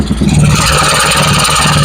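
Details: Honda Vario 110 carburetted scooter after engine rebuild, mic at loud exhaust: steady, even idle with loud raspy note, no knocks or rattles; smooth, only PE carburettor setting remains.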